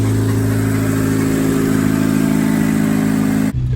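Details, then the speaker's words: 2000 Honda Civic EX coupe, 5-speed VTEC D16Y8 with custom-chipped ECU, after rod bearing replacement for a spun bearing: steady, even engine note with no knocking or tapping; normal running. "the car seems to be doing good no more noises everything seems okay"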